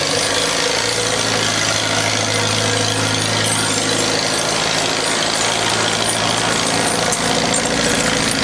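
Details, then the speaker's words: 1948 Farmall Cub F tractor, 6V system on 12V battery, cold start at about 30°F: loud steady fast-idle putter with no misses or knocks, starting easily and running clean. "really sounds good. Yeah, I like that full bowl. Boy, doesn't that start good, huh?"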